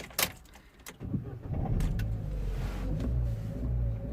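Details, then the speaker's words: 2011 Vauxhall Corsa D 1.4 petrol after sitting a few days, code P0223, limp mode and spanner light: short crank into low, lumpy idle that barely holds and stalls; revs okay when held, drops off when released; reversed airflow meter upsetting mixture. "so the revs the engine is running really badly let me see if i can open the bonnet and show you and he's just shut down okay let's start this thing again"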